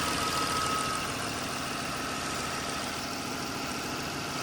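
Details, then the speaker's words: 2002 Lexus ES 300 3.0L that had popping noises and stalling, after an intake runner repair, idling several minutes: steady, even mid-pitched hum with no popping, misses, stumbling or stalling. "Been running for a few minutes now. No popping, no stalling. Doing pretty good."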